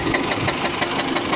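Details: 2004 Dodge Stratus at idle: fast, steady light knocking about six or seven raps a second over an even idle, loud knock, owner tries quieting with additives; cause unknown; engine knock at idle.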